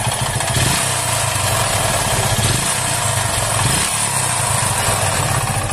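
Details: Hero Splendor single-cylinder engine idling with a low thump and a sharper metallic knock on each beat over background hiss; engine knocking, source unconfirmed.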